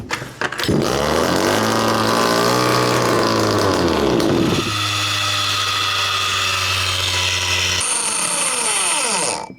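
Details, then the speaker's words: 1/5 scale RC Baja two-stroke engine, idle screw fully in, good compression: high buzzy revs unevenly, surges, then dies once choke is removed, only running on choke; suspected carburetor fuel starvation. "that which you just heard to me sounds like carburetor, because while I was choking it, it actually ran on choke. And then I took the choke off and it died, meaning starving of fuel."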